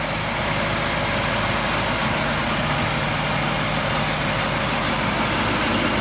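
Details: 1949 Packard Super Eight straight-eight after a replacement rotor and new Pertronix ignition, once a rotor-hitting-cap fault was fixed: even, steady idle with a constant low hum, no ticking, missing or clatter; idles smoothly and sounds healthy.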